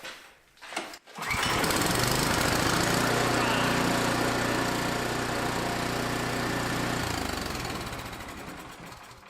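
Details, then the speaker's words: Snowblower that would not start after sitting, fixed by draining stale gas from the reservoir near the primer; choke on, primed three times: a cord pull and the small engine catches at once and runs with a steady, even beat. "so it started real easy Once I did that and it wouldn't start at all before"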